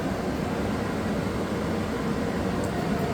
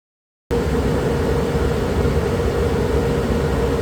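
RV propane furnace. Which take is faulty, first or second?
first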